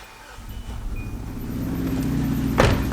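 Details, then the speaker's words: 2003 Hyundai Sonata with many check engine codes and almost no power, waste-spark ignition: rough, lumpy idle on two cylinders; disconnecting the 1-4 coil causes no change, so the bad ignition coil is confirmed. "exactly the same so now if I disconnect one and four no change running on two cylinders here engine dies bad ignition coil that is confirmed"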